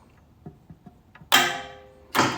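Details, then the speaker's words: Light ticks, then two sharp clacks about a second apart as the timer relay on a T58 turbine start stand energizes and opens the circuit after 3 seconds; normal switching. "here's the timer if I if I reach around you'll see it energize and in 3 seconds it'll its function will open to circuit"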